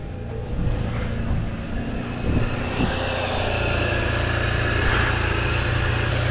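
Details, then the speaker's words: 2018 Toyota Sienna with replacement engine, earlier crank-no-start, now running while scoped on coil IGF circuits: uneven, lumpy low thumping with no steady rhythm and heavy exhaust smoke; multi-cylinder misfire, suspected bad coil or bad ground. "Got a lot of smoke pouring out of the exhaust. Honestly, it looks like we have either a back coil or a background."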